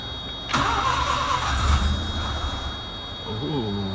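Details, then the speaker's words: 1980 Mazda RX-7 rotary, sat 6 to 8 months, new fuel pump and fuel line fitted, two pedal pumps, choke out: starter spins, engine coughs briefly then dies back to cranking; suspected carburetor problem. "All right, so we're getting it to cough on the key."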